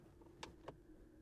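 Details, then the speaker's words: Jeep 4xE plug-in hybrid on 35-inch tires, stopped in drive in electric mode: a faint, steady mid-pitched whir with light ticks. The owner suspects the motor is spinning transmission gears; the sound stops in park. "Also, if you stop the vehicle, so it's in electric mode and you are in drive, you can hear things running."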